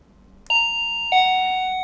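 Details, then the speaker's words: Wireless doorbell after re-soldering a broken surface-mount switch contact and reinserting the battery: clean, bright two-note ding-dong with even decay, no crackle or dropout; the repaired doorbell is working normally. "Yes, right, it's working. Everything is fine."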